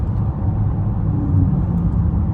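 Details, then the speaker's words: 2014 Chevrolet Impala at about 60 mph after new tires were fitted: steady low road rumble with no rhythmic droning or wobble; the earlier noise is gone, it rides much better and the tires roll smoothly. "I think that might have solved our problem, y'all. Cause I'm definitely not hearing it, and I'm going what? 60. It's riding much better."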